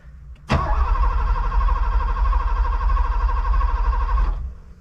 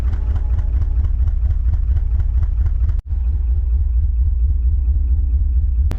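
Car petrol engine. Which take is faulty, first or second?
second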